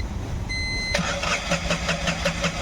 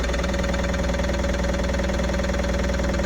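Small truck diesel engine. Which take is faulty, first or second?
first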